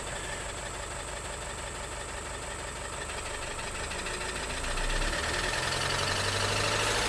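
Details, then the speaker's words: 2012 VW Tiguan GDI turbo that stalled with suspected low oil pressure, still 2 quarts low after oil added: rough idle with heavy steady knock growing louder as revs rise; massive rod knock, engine judged finished. "That's a massive rod knock there. I mean, if they added oil and it's still 2 quarts low, I believe it's game over."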